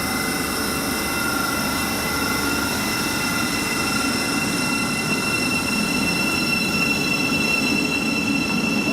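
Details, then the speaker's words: Modern UK IGBT traction inverter, as on 2009 stock and Electrostar units: a steady high-pitched whine held on one fixed carrier frequency over rail rumble, with no stepping; normal. "as igbts got better we can stay on a fixed carrier frequency for longer and longer to the point where you don't even notice it changing back on some traits like the zyro cities and the"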